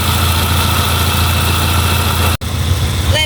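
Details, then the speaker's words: Peugeot 206, engine judged good overall, idling at 85°C with radiator fan on low speed (high speed at 90°C): steady even low idle hum with constant fan rush, no knocks or misses; normal idle with fan running. "Kerja motor Fan juga normal di suhu berapa? 85. 85. Yang low speed-nya bekerja, high speed-nya nanti setelah panas di suhu 90 bekerja."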